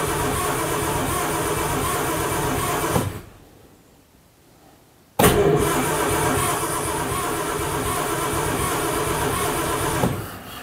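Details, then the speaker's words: 1950s Daimler Consort barn find, final attempt: there is spark, but some plugs are dry and some wet, and the owner suspects flooding; the throttle is sticking. Two long bursts of steady cranking at about two turns a second never catch. Cranks, no start. "Thật không may, sau tất cả những nỗ lực tôi đã bỏ ra hôm nay và tôi cũng giúp bạn đời của mình đến và cố gắng khởi động chiếc xe tải đáng yêu này, thật không may là nó không khởi động được sau khi chúng tôi nhận được nhiên liệu không khí châm ngòi cho m"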